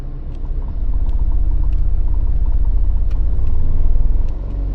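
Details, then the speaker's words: Mini with a manual six-speed gearbox that rattles in forward gears: starting off and reversing, a steady low engine drone with no rattle or knock. The gearbox is quiet in reverse, which points to the gearbox rather than the flywheel. "So I'm going to go into reverse gear. Stop start that was. Into reverse, listen now, nothing."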